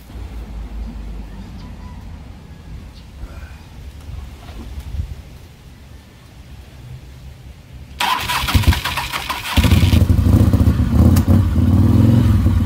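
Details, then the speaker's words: Motorcycle with rebuilt starter, primary refilled with oil and mostly reassembled: quiet, then a strong, quick, even crank that catches straight away into a steady run; starter sounds like new. "you hear that starter sounds like it's brand new usually I can do that once and they're like they're new and you hear it just cranks like a big dog"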